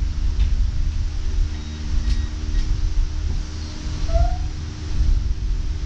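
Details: Car with a replaced header, relocated O2 bungs plus a wideband, a new fuel filter and differential work, first startup idling into closed loop with no exhaust fitted: a deep, raw, unmuffled rumble from open headers, way too loud, and the computer read 5–7% rich.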